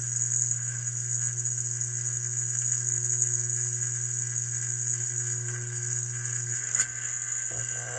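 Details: Hydrolevel VXT programmable steam boiler water feeder feeding water on a call: steady low mains hum with thin high whine, dropping away near the end as the signal is withdrawn and it shuts down; normal solenoid buzz.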